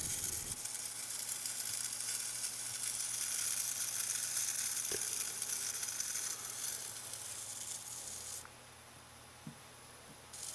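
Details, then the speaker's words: Atwood APS-5530 RV power converter from a travel trailer, outputting about 6 V instead of full DC voltage; thin high-pitched sizzling hiss that fades near the end, traced to one of two high-frequency switching power transistors, output jumping around and briefly reaching 13 V. "oh boy yeah one of these power transistors that's what's making that noise"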